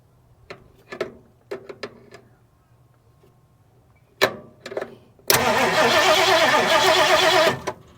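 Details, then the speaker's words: 1971 Ford Mustang fastback (possibly Mach 1) sitting over 20 years, heavily corroded ignition points just filed: starter spins the engine about two seconds at an even rate and it never catches, no spark seen; crank, no start. "I'm not seeing any sparking. Nope, not sparking yet."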